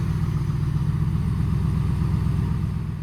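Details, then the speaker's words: Dodge just jump-started with a TOPDON JS2000 jump box: deep, steady low rumble with an even beat, no knocks or squeals; idling normally. "Oh yeah, fired it right up. A good old noisy Dodge."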